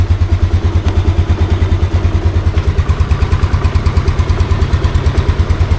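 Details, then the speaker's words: 2014 Yamaha Mio Sporty scooter, 12 years old, just after oil change (drain bolt refitted); steady even putter with no knocks or rattles; quiet, smooth normal idle. "Yung naririnig nyo, ito yun eh. Yung fender. O, diba? Tahimik"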